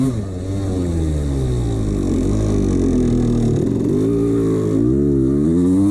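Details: 1989 CR250 two-stroke revving up and down with a hollow rattle under the exhaust note; piston slap from a worn piston, which the owner admits ignoring.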